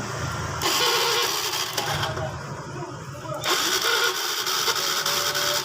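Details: Fuel-injected motorcycle (Beat FI): starter churns briskly at about three and a half turns a second, uneven and buzzy; the pulser now puts out current and the coil wire gets power, normal cranking.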